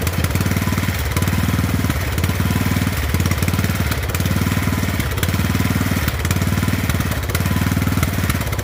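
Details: Poulan 12538 38-inch riding mower single-cylinder engine, oil slightly overfilled, first start: steady thumping with a slight loping surge about once a second; running fine, normal running.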